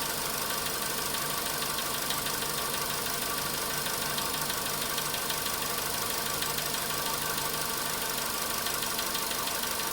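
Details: Volkswagen Polo Sedan cold-start engine knock: steady light ticking about three per second over an even idle, fading as it warms; still faintly heard around 4:40 minutes at 55 degrees, cause not pinned down.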